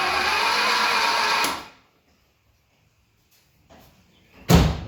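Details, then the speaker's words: 1972 Fiat 850 Sport Spider, sitting 22 years, battery connected: quick even whirring crank, no firing at all; no spark found, possibly flooded. "Sound like a Singer sewing machine there. Smells a little bit like coal oil, but I don't see it coming out of the cylinders."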